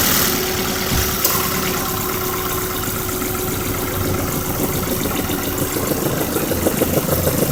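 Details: 2003 Ford Focus ZTW at idle: a loose, uneven knock about three per second within a rough idle. Owner suspects rod knock; unconfirmed.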